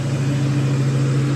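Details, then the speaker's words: Warm SVT Cobra Mustang V8 after fitting an LFP Big Mouth single-blade throttle body, idling steady around 1600 RPM with a firm low drone instead of idling down; an air leak at the throttle body sucks in air, raising idle. "It definitely should have idled down by now, and it's still idling around 1600 RPM."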